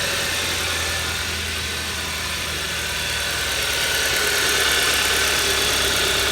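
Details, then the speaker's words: 2011 Hyundai Sonata, high mileage, after cheap fix of a spun #1 rod bearing (journal sanded, new bearing), running about ten minutes: steady idle with even hum and hiss, no deep bottom-end knock. "go ahead and wrap it up a little bit normal acceleration seems fine let's park it that sounds good"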